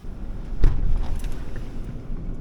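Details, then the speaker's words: 2007 Ford Ranger 3.0L with A/C at idle after idler pulley replacement, original serpentine belt kept: low even rumble, belt squeak gone, no squeal or chirp; normal idle, squeak likely caused by the old idler pulley. "sounds dead silent from inside the car the real test is going to be moving it down the road a little bit well I don't hear the uh belt squeak anymore"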